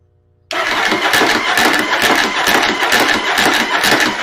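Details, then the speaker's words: Starter with Bendix clip clamp installed, battery boosted: starter spins up at once and cranks at an even steady rhythm with no gear kick-out or dropouts; normal cranking after fix. "look at that. That little clip thing actually helped quite a bit. It's not missing at all now."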